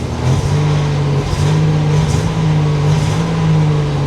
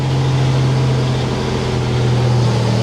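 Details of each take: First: 1987 Buick Grand National, garage start test: revs climb unevenly and sag back as the throttle opens, a rough bogging note with no check engine light; it stumbles under throttle. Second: 1987 Buick Grand National turbo V6 after a fuel tune adjustment at setting 3: steady, even low rumble with no misses or surging, the cleanest start and idle it has ever had. The idle later sagged and the engine stalled.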